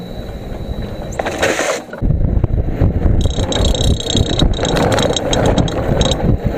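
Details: Electric scooter motor spinning freely with the wheel off the ground, flywheel already removed and ruled out: irregular hollow clunks over the hub whir, like tapping the casing; knocking traced to a loose, rattling motor cover.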